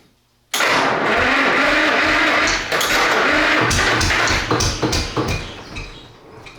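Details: Rare 1-71 GM Detroit Diesel one-cylinder two-stroke, first start after fixing a fuel line pinched by the shipping pallet strap: cranks and catches at once into a loud, busy two-stroke clatter, running several seconds before tapering off.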